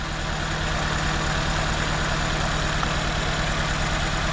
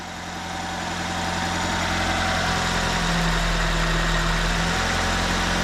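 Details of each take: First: 2004 Nissan Sentra with shaking engine, no misfire codes, only air-fuel ratio sensor code: coils unplugged one at a time at idle, uneven lope shakes harder when a working cylinder is dropped; cylinder 2 showed no difference, identified as misfiring. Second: 2004 Nissan Sentra after replacing a bad fuel injector (coil and plugs had not fixed the misfire): even, steady idle with a constant low hum and no stumble or shake; running smoothly on all cylinders.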